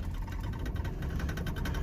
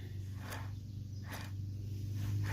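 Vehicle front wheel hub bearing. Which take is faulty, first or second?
second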